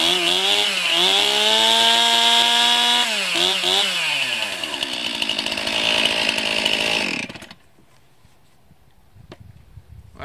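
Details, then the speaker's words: 2020 Stihl MS261 chainsaw, cold start at 29°F after sitting three to four days in a truck, started on choke. High, crisp buzz that revs, dips and picks up cleanly before shutting off. Healthy cold start and running. "bad for 29 degree cold start i just love everything about this saw"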